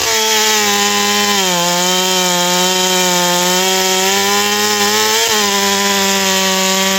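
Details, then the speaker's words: 461 chainsaw after porting, new Caber rings and a repaired blown-out spark plug hole, cutting a log: high steady wail dipping slightly under load then recovering strongly; healthy, spins up really strong. "Yeah, she spins up really good, really strong."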